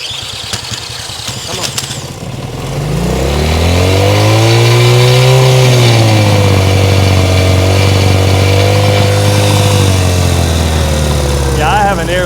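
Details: 1970 Honda CL100 single, about 11,000 miles, freshly freed from seizure and cold, on partial choke: catches and surges up and down unevenly, never settling.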